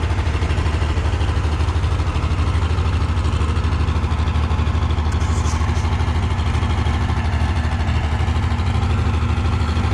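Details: Oliver 1650 tractor diesel, not run for at least three years, fluids checked and new battery fitted: heavy low chug at idle with lumpy uneven beat and lots of smoke, not firing on all six; needs injector work, timing suspected off.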